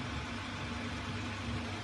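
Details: Toyota Prado 2.7 2TR-FE after the engine was stripped because of a knock, traced to a filter rubber sucked into the oil channel feeding the hydraulic lifters; an even, quiet idle with a steady low rumble and no ticking or knocking.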